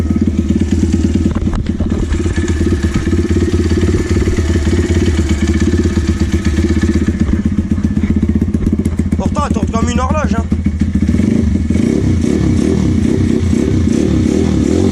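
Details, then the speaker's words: Apollo 150 YX V3 single-cylinder motorcycle with a new crankcase, idling; a metal rattle first thought to be the chain is attributed to the vibrating footpeg. A loose, tinny rattle over the beat; the cause is suspected. "Comme là, on entendait le bruit de ferraille du cale-pied."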